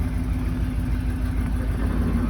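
Steady, even low idle with a smooth, regular beat and no knocks or misses; the engine sounds healthy idling in gear.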